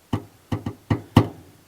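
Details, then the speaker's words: 1966 Chevrolet C10 with freshly restored brakes and cooling: loud, sharp hollow knocks up top on the running engine; spun bearing feared but noise traced by ear to the distributor area, maybe rotor hitting a terminal, unconfirmed. "it almost honestly sounds like a spun bearing or something I don't know I hope that's not the case"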